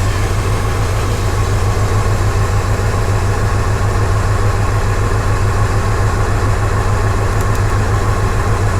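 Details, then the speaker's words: Engine with code P0300 after the customer swapped many parts. A cylinder drop test shows cylinders one, two and three not working. Low idle with an uneven loping pulse about three times a second: misfire with dead cylinders. "so what we're looking at right here we got one two three cylinders are not working"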